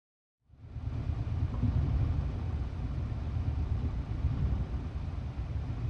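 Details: 2001 Subaru Impreza L 2.2 EJ22 manual, 155k miles: rough uneven idle with stumbles, cylinders 1 and 3 misfire; a dropped valve stem guide held an exhaust valve open despite new plugs, wires, coil pack.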